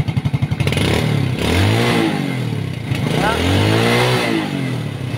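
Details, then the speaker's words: Single-cylinder motorcycle that stalled without its battery, revved during a charging test. Revs up and back down twice cleanly, no misses. The fault was a wiring problem, to be taped. Normal revving. "goods pa mga idol no so goods pa yon ayusin na lang natin ite-tape at okay na po yung problema ng ating idol no"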